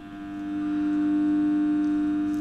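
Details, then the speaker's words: 1 kW off-grid solar setup with charge controller, inverter under load while charging current rises to about 20 A: steady low electrical hum with a clean even tone; normal inverter noise under load. "और क्योंकि inverter पे load पड़ता है तो inverter थोड़ा, ये आवाज़ जो आ रही है इन्वर्टर की आवाज़ आ रही है।"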